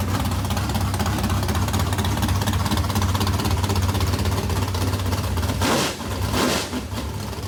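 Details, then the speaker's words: Modified race car V8, first fire-up after months of work and fuel pump issues: firm lumpy lope then a blip, holds a steady idle; runs, though water pump gasket leaks. "well how about that it runs"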